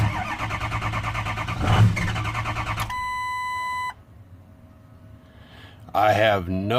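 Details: 6.0 Powerstroke diesel, no start: cranks, pops and runs briefly with a low, uneven beat, then shuts right off to near silence; starts then stalls, cause unknown.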